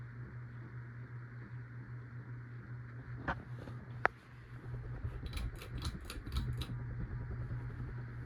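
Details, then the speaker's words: Possibly Sears-sold CEI HC-52 hugger ceiling fan; steady low motor hum with faint dry ticking from worn motor bearings developed within the last nine years, plus slight wobble noise; still blows okay air. "It makes some bearing noise, and it wobbles a little bit which also makes some noise, and it blows okay amount of air."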